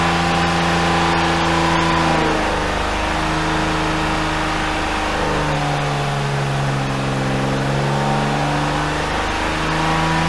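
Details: BMW E34 with a swapped S52 engine, restarted after sitting about two months and fitted with different camshafts to diagnose an earlier problem. Revs rise and fall cleanly with no knock; some valvetrain noise, judged normal. The engine sounds healthy.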